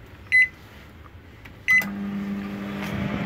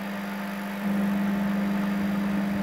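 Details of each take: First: Panasonic microwave that switched on but didn't heat, after fitting a new magnetron, heating a glass of cold water: two short beeps, then a steady low even hum without buzzing or crackle; normal running. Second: Panasonic microwave that runs but doesn't heat: steady low hum steps louder and holds even; diode, transformer and capacitor fine and magnetron powered, but low-quality magnetron with broken contact plates won't heat, likely even if resoldered.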